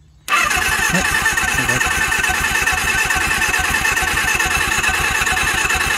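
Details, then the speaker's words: Suzuki GS750 motorcycle, sat since 1983 and previously seized, carb cleaner sprayed in: starter spins engine quickly and evenly with light rapid pulses, never fires; owner suspects stuck valves, no compression, and possibly no ignition. "I got some stuck Val this thing has like no compression you guys hearing that just turn it over freely listen to this all right that's not even trying"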